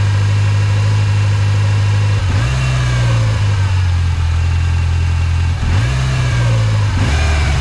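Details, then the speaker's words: 1986 Mustang SVO after fitting a 1994-95 SN95 5.0L / Thunderbird Super Coupe throttle body, cleaned IAC refitted: raised steady idle, blips fall back high; throttle cable pulled, holding butterfly slightly open, fix is sliding cable toward front of car. "so I need to slide my thing back, my throttle cable back more, because it's no, I gotta push it towards the front of the car more, because right now it's pulled this way a little bit, so it's keeping the butterfly open a little bit."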